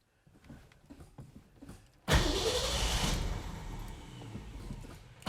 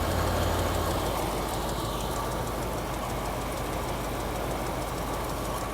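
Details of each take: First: Ford 260 V8 classic with new 45-series copper plugs, in neutral: after a quiet spell the engine catches and runs lumpy, sagging and stumbling; working accelerator pump and ignition point to a carburetor idle circuit problem. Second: Classic carbureted V8 with mild cam, stone cold after carburetor cleaning: steady, flat, even idle with no misses; running healthy.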